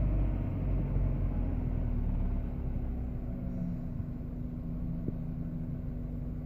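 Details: 1998 Subaru Forester at idle: a low rumble with an uneven, lumpy pulse about three times a second that never settles. Rough idle, cause not evident.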